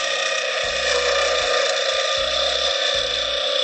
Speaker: because the wood is Getting Thinner so it's vibrating more and see a little bit of a bump right there